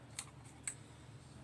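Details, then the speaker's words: Remote-capable emergency light (6 V bulb) wired to a 12 V Mule remote head and exit sign, test button pressed: several crisp, dry relay clicks over quiet room hum; relay switches cleanly, everything works. "and if we press it, here you can hear the relay clicking. so everything works nicely."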